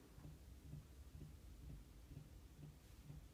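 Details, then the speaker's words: Toyota GT-86 with FA20 boxer (12.5:1 compression), 1 year 3 months old, after a short trip: ignition on, soft clicking about twice a second, flickering clock, slow fan, no crank; flat battery, jump start planned. "normally you see lights here the clock is flickering and I'm hearing clicks get better"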